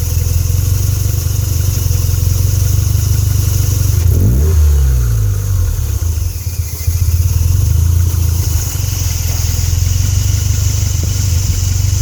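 Low, uneven idle with a lumpy, unsteady beat and a brief dip midway; the engine isn't holding a smooth idle.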